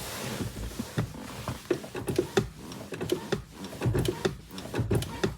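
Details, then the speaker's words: Honda CR-V 2.2 i-CTDi diesel, clutch pedal worked: sharp light clicks in pairs and clusters from the two clutch pedal sensors, normal; the squeak under diagnosis was traced to a dry clutch fork. "okay here we can hear some clicking noises and the clicking noises here are not that like un normal they are just from the two sensors that are yeah connected to the clutch pedal"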